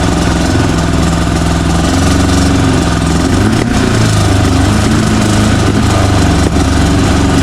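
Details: VW air-cooled flat-four in Baja buggy, about 130 hp naturally aspirated, timing about 28°: deep, even, steady note with no knocks, misses or rattles; running clean and healthy.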